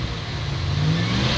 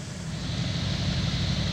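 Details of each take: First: 1963 Dodge Dart, 225 slant six, sat 7-8 years, finally started after cranking: catches and holds a low steady roar, pitch rising smoothly as it revs; running normally. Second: 1963 Dodge Dart, 225 slant six, sat 7-8 years, battery charged, gas poured down the carb, bumped with a screwdriver: steady low churning crank about four beats a second, brief rougher burst as it almost catches; long crank, nearly fires.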